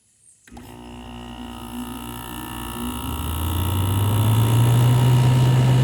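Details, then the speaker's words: LG 6000 BTU window air conditioner started, recorded from outside near the compressor: compressor kicks on and settles into a steady low hum while the fan builds to an even whoosh, normal start-up and running. "There it is, up and running. That's really take a second to get out all the hot air."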